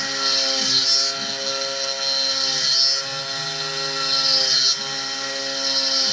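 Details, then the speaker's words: SX2.7 CNC mill with NSK ATC spindle ramping: screechy ringing chatter swelling about every two seconds, no chip evacuation; owner suspects a faulty grind on that end mill, as a same-batch cutter sounded different. "This is the ramp that was just, there was no chip evacuation whatsoever. It was like crunching rocks in there."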